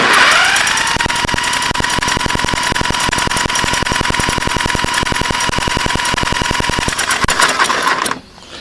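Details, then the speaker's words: 1984 Honda 200S turned over with a drill on a hot day, after replacing carb, CDI, harness, coil and pulse generator, with timing checked good: steady drill whine with even compression clicks at about three and a half per second. It never fires, even on ether; weak, inconsistent spark suspected. "I'd like to show you guys the spark. It does spark, but it doesn't start."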